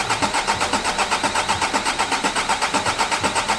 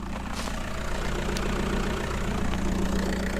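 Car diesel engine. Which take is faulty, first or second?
second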